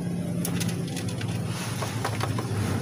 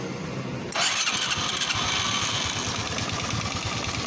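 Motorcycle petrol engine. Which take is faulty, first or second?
first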